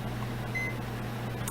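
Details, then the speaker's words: Mining rig running HP power supplies on a 15-amp household circuit drawing 16 amps. Steady mains hum with short high-pitched electronic beeps; plug-in meter warns of overcurrent on the circuit. "so as you can see we're pushing 16 amps and of course that's more than a 15-amp circuit supposed to handle"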